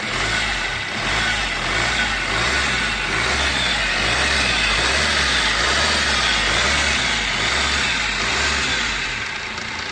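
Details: Fiat Punto petrol engine idling: busy metallic rattle over the low running hum from a heavily noisy timing chain.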